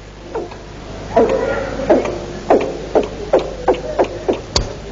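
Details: Boat engine being cranked for a last try, described as jammed and misfiring: rapid puffing beats, about two a second, as it tries to catch, then dies away; fires but won't start.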